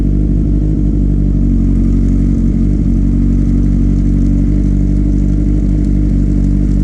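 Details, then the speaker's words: 2008-10 Kawasaki ZX10R after new stator fitted and recharged battery, first start after sitting over winter: loud, even idle with a steady low burble, no rattles or whining; earlier noises gone, runs cleanly. "Let's see if the bike will start. It's already a good sign I don't hear the noises. Oh, she's alive."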